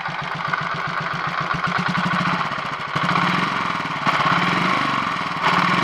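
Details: Royal Enfield 500 Machismo electric start at idle after timing gear backlash, pushrod and primary chain adjustments: single thumps with uneven light rattle and clicking; less noise than before but remaining noise, source not yet found.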